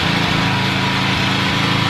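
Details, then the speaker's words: Norton PGi2500c inverter generator after the owner cleaned and tuned it: small engine holds a steady, even buzz with no surging, misses or hunting; starting better and running smoother. "Yep, starting a lot better now. More smooth. I cleaned it up myself."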